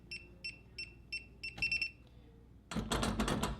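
Six short keypad beeps as the code goes in, then a brief error chirp and no bolt movement; the lock rejects a disabled user code.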